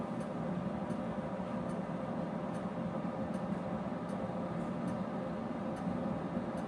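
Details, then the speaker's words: Harman P61C pellet stove, owned three years, used as sole home heat; steady fan whoosh with light ticks of pellets dropping about every second, even and unchanging. Normal pellet stove running noise. "All right, number three, the noise factor. I'm going to stop talking for a minute and let you hear what this thing sounds like."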